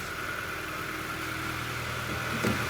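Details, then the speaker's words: 2011 Hyundai Elantra G4FG 1.6 manual, 214,000 km, after piston rework for oil consumption, warmed to operating temperature; smooth, even, quiet idle with faint light ticking from the cam phasers. Normal idle. "работает ровно работает Тихо но мушки дают о себе знать"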